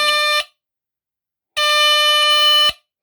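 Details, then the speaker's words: 1978 Westclox battery smoke alarm switched to test position gives a shrill high tone in on-off pulses about a second long; sounder responds properly on test. "okay I'll do the test position that's what the test position sounds like"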